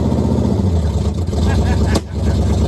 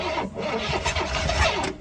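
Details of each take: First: 1969 Pontiac Firebird, almost all original numbers-matching drivetrain, first start after sitting since 1994, no brakes: deep, even V8 rumble with steady firing and a few brief throttle dips as the car moves under its own power; runs and pulls smoothly. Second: 1969 Pontiac Firebird stored since 1994, first start attempt in nearly 30 years: the starter cranks and the engine nearly catches, then winds down and dies. The fuel feed line has a hole and is pumping fuel out, so no start.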